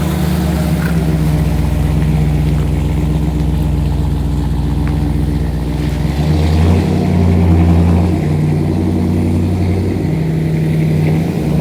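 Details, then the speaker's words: V8 on its maiden voyage around the yard: deep, even burble pulling cleanly through the gears and settling, no misses or knocks; transmission shifted well, motor sounds good. "everything seems to run good transmission shifted well motor sounds good"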